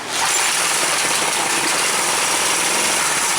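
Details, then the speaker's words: Craftsman pressure washer small engine at about half throttle on choke, run briefly without water: steady roar with no stumble or misses after a carburetor fix for a plugged main jet following winter storage. "There you go. That's all the more I'm going to run it because there's no water and I don't want to damage the pump."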